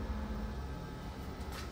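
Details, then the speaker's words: LG 20 kg washer-dryer with dHE error, timed dry, spin cancelled: low steady blower hum with faint whir, no scraping or rattle; blower running normally. "You can hear the noise. This blower already start. Machine is running."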